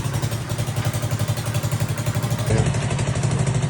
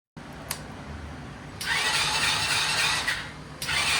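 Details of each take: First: Vento motorcycle that would not start, after valve clearance adjusted with feeler gauge: single cylinder thumping evenly at fast idle, about four pulses a second, steady with no ticking; runs normally. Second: Vento motorcycle that won't start, battery serviced: four steady starter bursts, engine spinning evenly but never firing.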